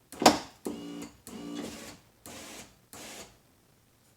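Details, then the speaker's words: 1999 Pontiac Grand Am GT 4-door, about 20 years old, rear door window: the motor works and the glass goes down but won't pull up; short bursts of free motor whir with no load; broken window regulator clip. "So it's going down, but it doesn't pull it up. So I'm wondering what's going on here."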